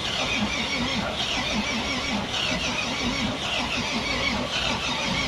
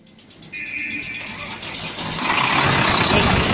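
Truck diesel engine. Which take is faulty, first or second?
first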